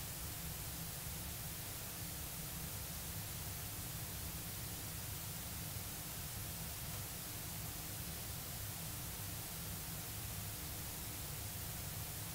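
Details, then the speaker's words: Healing L401E valve radio during 6AR7 valve replacement, trying a substitute valve: only a flat, even hiss, no station coming through; very weak reception, valve dead. "that one's very very weak so that one can go in the bin I've got about 30 dead valves in the bin at the moment under here so from all those radios so I'm running very low on spare valves"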